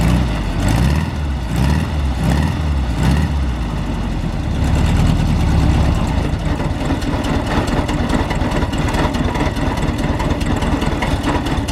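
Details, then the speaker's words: VW Kombi air-cooled engine after adjusting the valves, which had been stuck, with a loose nut found earlier: idles low and deep, slightly uneven and vibrating a bit, but the noise seems improved. "melhorou cara tá vibrando um pouco mas quando eu forçava assim ó parece que mudou"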